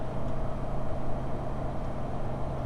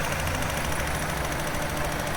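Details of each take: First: VW T4 2.5L with intermittent rough running, power loss and a rich smell, acting up in a specific temperature range when cold. Uneven, lumpy idle with a low throb and an irregular stumble; misfiring. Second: VW T4 2.5L after repair of a broken intake valve spring: steady, even idle with a low smooth hum and no misfire stumble or ticking; running smoothly again.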